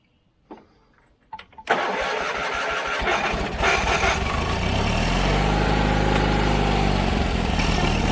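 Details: John Deere 317 riding mower that quit and wouldn't restart: cranks a few times, catches and settles into a lumpy, fuel-starved idle; fuel pump, lines and tank checked fine, plugged carburetor starving it, needing cleaning.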